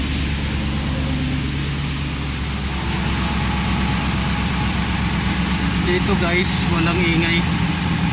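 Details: 5.7-liter engine at cold start and idle: light ticking about three per second over a steady idle, a clear top-end tick; the clicking was later successfully repaired, cause not stated.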